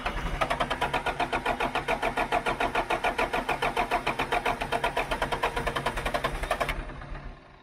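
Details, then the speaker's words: John Deere 310G backhoe after a long-awaited part was fitted, fuel line cracked open at injector to check fuel pump: starter churns in even pulses about 3.5 per second for six seconds, never fires; cranks but no start, fuel pressure still suspected. "All right, so looks like we're giving up for tonight, and we'll go try to crank this thing again."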